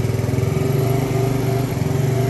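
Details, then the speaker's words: Polaris ATV after carburetor cleaning, warm after riding: small single engine idling a touch fast with a steady, even putter. Idle set slightly high. "As you can hear it idling a little high, my son was riding it yesterday and it got warm and started not liking it."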